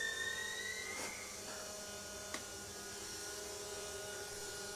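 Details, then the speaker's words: Freshly rebuilt Porsche 911 3.0SC flat-six built to 3.2 short-stroke spec, on test stand, cold overnight at 26°: electric fuel pump switched on before start, steady high whine, faint hum and clicks, CDI squeal audible; normal priming, engine not yet running. "I'll give it the power to the uh warmup regulator and the auxiliary air regulator. I'll turn the pump on first."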